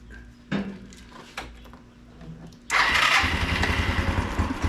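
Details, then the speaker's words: 1993 Yamaha Riva 125 (Beluga) scooter after a clicking no-start, starter relay swapped; faint clicks, then quick start and steady, even single-cylinder putter; problem concluded to be a dirty contact, healthy. "okay good so I'm concluding that it was a dirty contact on here somewhere was my problem"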